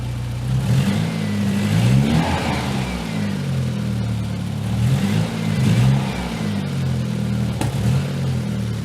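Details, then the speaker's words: Nissan S12 200SX turbo project with makeshift scrap-pipe Cherry Bomb exhaust, idling well, revved in sweeps: sharp lean pop back through the intake near the end; owner suspects timing despite rechecking, fuel pressure also suspected. "you hear that backfire through the intake actually it really makes me wonder if we still got something screwy going on with the timing"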